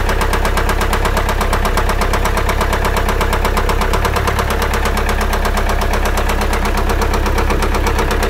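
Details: Engine sound suddenly changed: a fast, even mechanical ticking runs steadily over the idle, several taps per second.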